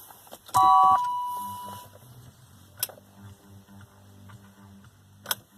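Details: Hot BMW E39 528 that only sometimes fails to start: warning chime, then two short sharp clicks under the hood a few seconds apart with no cranking; owner suspects starter solenoid, and it starts after standing a while.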